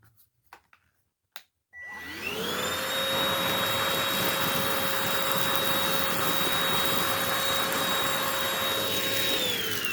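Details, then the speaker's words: Oraimo H3 handheld vacuum, battery fully charged, large opening picking up rolled oats; motor spins up to a steady, even high-pitched whine without surging or labouring, running normally. "okay that wasn't much of an uh much of a challenge at all um for this particular handheld not a big deal"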